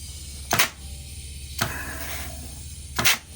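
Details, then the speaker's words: Dodge 48RE automatic transmission on the bench being rebuilt, air test of clutch circuits: sharp bursts of air hiss as each circuit charges, piston applies firmly and holds without leakage; good seal. "yep good see how it's holding mhm good that's a good seal"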